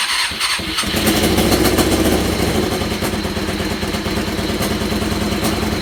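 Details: Buggy engine first fired on old fuel after wiring harness and battery hooked up: uneven idle with a sharp puffing tick at firing rate, exhaust leaking where a left exhaust stud stripped completely and was falling out.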